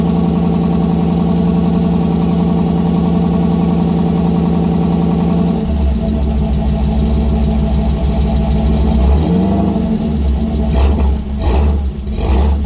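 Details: 1955 GMC 100 with freshly rebuilt 327 small-block V8, first run on a fresh battery, break-in: even steady idle about six seconds, then smooth throttle blips with clean return to idle; normal running.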